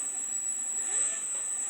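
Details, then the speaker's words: 3D-printed axial flux BLDC motor, 8 magnets, 6 coils, sensorless Hobby King controller, batteries not fully charged, first test: faint thin high whine, steady with slight pitch swell, no rattles or grinding; runs cleanly, though rotor still feels slightly tight. "Yeah, oh, it's a lot more torque than that one puts out. Alright, so that was first test on that."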